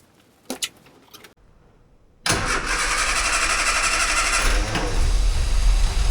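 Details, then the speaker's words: 998cc Mini Clubman started for the first time in years: a few faint clicks, silence, then the engine catches and runs roughly for a few seconds before dying. "Okay, so I've cranked it a few times and there's no fuel coming through."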